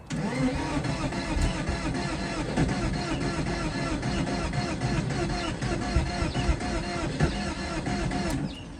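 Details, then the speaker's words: 2003 Porsche Boxster bought cheap at auction, first start attempt: fast, even starter cranking for about eight seconds with a rough ticking churn and no firing; cranks but won't start, something wrong, hopefully the engine isn't seized. "That definitely doesn't sound good. No, there is something definitely wrong with it. But at least it cranks, so hopefully the engine, it's not seized."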